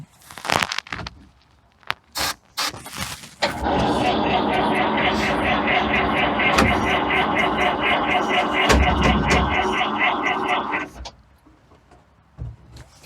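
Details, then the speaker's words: 1953 GMC M211 2.5-ton military truck, 302 inline-six gas engine, sat 8 years, auxiliary tank with electric fuel pump, ether sprayed: slow steady starter churn about four beats a second for seven seconds, no fire; dirty electrical connections suspected. "No dice. Could we clean those electrical connectors connections and see if maybe we can get a better spin on it?"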